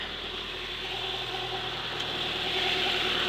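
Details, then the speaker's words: Toyota Corolla SR5 AE86 4A-C engine after head gasket repair; timing had been off by two teeth, now corrected; steady even idle with smooth low hum, no knocks or misses, runs as good as new. "the timing was off by like two teeth so fix that up and she runs as good as new so I'll just rev up for her hurry up as good as new"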